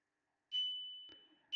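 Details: 2014 VW GTI/Jetta 2.0L instrument cluster from a crank-no-start, dead-cluster car, on bench test; two clean high chime tones about a second apart, steady pitch, no crackle or dropout; alarm chime working properly.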